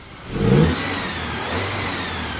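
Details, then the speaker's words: Audi/VW 2.0T, fairly okay at idle but whirring: on revving, a thin whine tracks engine speed; owner suspects a worn balance shaft bearing, not confirmed. "a whizzy noise. I suspect the balance shafts are out. One of the balance shafts is making a bearing noise in my opinion."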